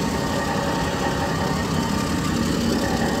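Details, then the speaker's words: 2011 Ford F-150 XLT 5.0L V8, about 450,000 km, one owner: even low rumbling idle with steady beat, no knocks or ticks; normal idle, though seller says catalytic converter code comes on occasionally. "five liter engine you hear it running well i think the truck's been maintained well by sounds of it"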